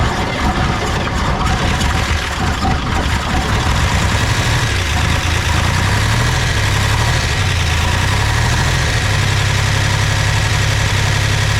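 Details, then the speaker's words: 1961 Chevrolet Corvair flat-six at its first start after spark was restored (timing suspect): rumbles into a steady, even, deep idle with a slight lope, no misses, a little expected smoke; runs fine. "yes yep a little bit of smoke which shoot man that's expected it's going to be a while before these things recede right in but now we now we know this thing's a runner"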